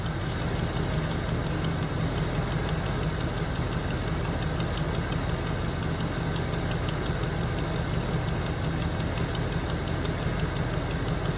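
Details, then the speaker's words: 1977 Chevy Camaro with a 305 V8, parked almost 20 years, first idle after revival: light quick ticking steady over an even idle from one lifter, possibly starting to free up. "she's a runner man this is her and other than that one lifter sure I don't know if you can hear that it's consistent though well sounds like it might might be starting to free up a little"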